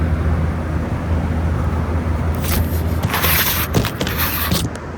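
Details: 2012 Frigidaire 18,500 BTU slide-out chassis window/wall air conditioner, R-410A 27 oz, 220 V, almost 14 years old, first spring startup outside at about 88°F. Steady low compressor hum, even fan rush, no knocking or rattling, some nearby scraping: normal compressor running.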